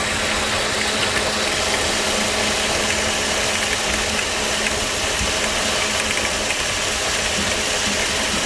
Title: Ac Compressor Noise